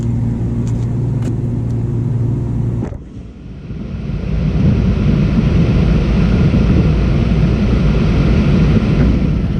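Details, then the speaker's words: Package A/C unit blower starting after bearing, shaft and belt replacement: a steady hum, a brief dip, then it winds up to an even low rumble with no knock or squeal; sounds smooth. "sounds pretty smooth go ahead and put the panels on and then we'll check the amperage"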